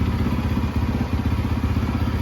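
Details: Rebuilt 2013 Yamaha YZ450F with a Rekluse clutch, in first gear with the clutch lever released and not moving: lumpy but steady single-cylinder thump at idle, even beats, no grinding or clunks. Normal idle.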